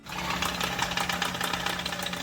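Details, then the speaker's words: Customer-reported rattling sound when driving, source not pinned down; engine running with a busy, uneven metallic rattle over a steady low hum. "Customer states, rattling sound when driving. Please advise."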